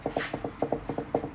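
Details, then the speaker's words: Car on a two-post lift in for drop links, oil change and air filter, wheel rocked by hand: sharp hollow double clunks, about four a second, from worn anti-roll bar drop links. "one so that definitely needs to drop links done you know that bad when you can hear them on a two post lift because when the suspension drops the underload"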